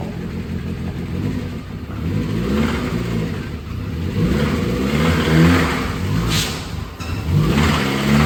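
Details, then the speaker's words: 2008 Dodge Caliber SRT4, terrible noise from the front of the car: revs rise and fall under a heavy, uneven clatter, a loud internal engine noise whose cause is not yet diagnosed; engine due to be pulled. "right, if you guys remember this turd, it doesn't sound good."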